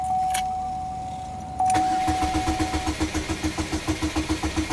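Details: 2002 Pontiac Grand Am, key in ignition after remote start: short chime, then starter cranks steadily about 3.5 turns per second without catching, security light flashing; security system lockout, possibly failing lock cylinder/pass key.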